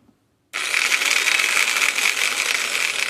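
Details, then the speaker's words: Old Denetella (Heiniger) horse clippers with damaged blades and worn carrier, first switch-on before strip-down: harsh, high, uneven rattling buzz instead of a clean hum; suspected loose or broken parts inside the head. "that sounds like the might be say either loose or broken inside there so we're before we go any further let's get them apart"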